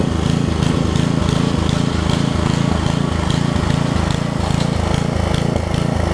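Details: Craftsman 17-inch rear-tine tiller with 5hp horizontal Briggs engine, probably 1990s, test-tilling after a new carb diaphragm; steady, even thumping at about three beats a second with no stumbling or backfire. It runs and tills; a tiny diaphragm fuel leak remains.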